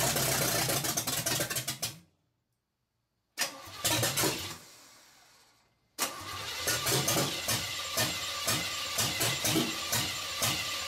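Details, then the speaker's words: Chevrolet engine with wrong plug wires and no throttle linkage, fed a shot of gas down the carb, cranks in short bursts, then chugs and catches weakly but won't start; owner suspects the ignition timing is too low. "she's trying to come to life I think the timing's too low on it"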